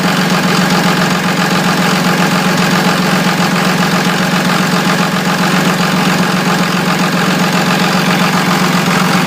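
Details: 2002 24-valve Cummins diesel: loud idle with an uneven pulsing beat about 2.5 per second that never settles smooth; rough idle, cause unclear.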